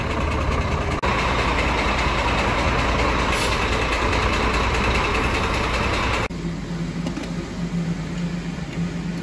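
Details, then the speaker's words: Scania 13-litre diesel truck engine: loud idle with a regular hard ticking about three per second over the rumble; the knock came from the rocker shaft broken in three places, leaving the rockers loose and unbolted; camshaft undamaged. "но стук у нас исходил именно от того что у нас поломано и не прикручена вот эти коромысла и они в свободно свободно гуляли в этом двигателе"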